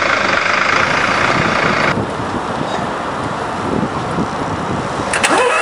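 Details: Heuliez GX417 natural-gas (GNV) city bus: long, loud, uneven cranking that keeps churning without catching cleanly; hard starting with repeated cranking.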